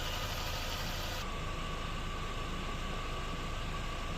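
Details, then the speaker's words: VW Passat B5 at steady idle after alternator (Valeo 90A) removal, bearing repair and reinstallation: smooth even hum, alternator no longer grumbling, engine running normally; slight possible viscous-clutch bearing noise remains. "Всё тишина генератор больше не кряхтит мотор работает нормально вообще"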